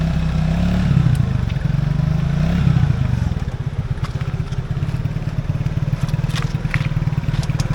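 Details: Small scooter flooded after riding through flood water, with water being expelled as it runs: an engine that stumbles and pulses unevenly, revs sagging and catching, and stalls repeatedly.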